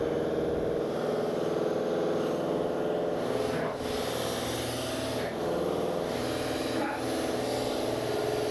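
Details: New Industrial Air IL1682066 two-cylinder belt-driven compressor, 110/220V motor, on 12-gauge extension cord, first run on auto: steady even pumping clatter with a few brief dips, no knocking or squeal; normal running.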